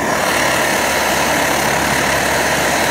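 A loud, steady roaring hiss holds perfectly even with no gaps or sputters; the burner is running cleanly.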